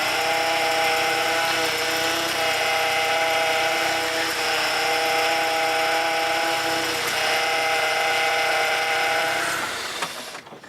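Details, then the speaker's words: BMW E36 with a nearly empty power steering reservoir, after topping up and steering three times each way during bleeding. A droning groan with a mid-pitched whine swells while steering, now much quieter than before but still present. Power steering pump groan from low fluid. "Comme vous avez pu le constater déjà, le bruit, on l'entend beaucoup moins. Bon, on l'entend encore un tout petit peu, mais beaucoup moins que tout à l'heure où que le pauvre moteur criait à l'aide."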